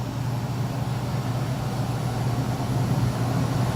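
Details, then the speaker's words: 2-ton apartment AC with a bad thermostat, after new filter and pan tablets: calling for cooling at 72 with room at 79, fan on auto; steady low hum and even fan rush, no rattles; cooling normally. "got four pan tablets in there and filter and we'll call for cooling fans on auto set at 72 and it's 79 in here we got it on hold refrigerant there's the fan"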